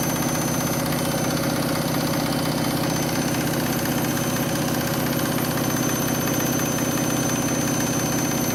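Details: Washing machine final spin after a very sudsy final rinse (possible suds lock, load sensor deciding speed): loud constant roar with faint rough pulsing at high speed; the spin is far noisier than normal.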